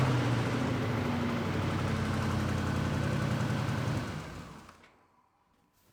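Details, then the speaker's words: Engine started after backfiring troubles: smooth, even idle with a steady low beat and no misses or pops, then switched off; running normally. "it's a Christmas miracle the elves were here what can we say"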